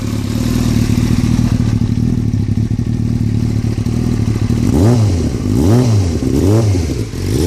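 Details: 2003 Yamaha R6 inline-four idling with a busy metallic clatter that continues through quick throttle blips, started after a trip to Europe; owner unsure whether it is normal, source unclear.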